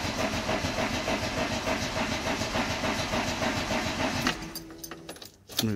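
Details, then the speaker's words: 1990 VW Golf Mk2 GTI, cold, after fuel pump repair and battery reconnection: about four seconds of fast cranking without catching; car is known to start badly from cold. Hard cold start. "I warn you know this car is very safdie from cold so it may sound awful but we'll give it a go"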